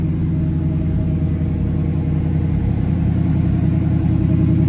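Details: 1967 Chevrolet Camaro RS, carbureted V8, idling after a cold start: deep, even burble with a steady lope, no ticking or knocking; oil pressure solid, healthy idle.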